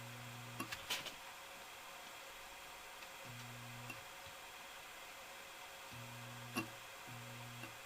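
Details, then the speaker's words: 1988 Canarm 52-inch ceiling fan; low electrical hum near 100 Hz cutting in and out in roughly one-second spells in a quiet room with only the fan on; owner suspects the reverse chain or switch stuck halfway, not confirmed. "so yeah she's just humming away right now I'm gonna unplug it and plug it back in and you'll see how it hums"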